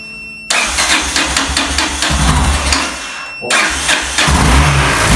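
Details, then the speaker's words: Yamaha XT600E 600cc single-cylinder motorcycle, flat battery in winter, started with Autowit SuperCap2 Lite jump starter on choke after a failed no-choke try; fires at once, lumpy chug, brief dip, then revs cleanly, normal start. "すごいかかったわかりましたねこれすごいですわ"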